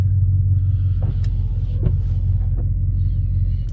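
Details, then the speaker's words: Truck at idle after twisting the wiper arm so the blade sits straight against the windshield: soft, even wiper sweeps with no chattering or skipping; quiet wiper sweep, chatter fixed. "it's nice and straight against the window and when we go inside we won't have any uh chattering on the window I bet"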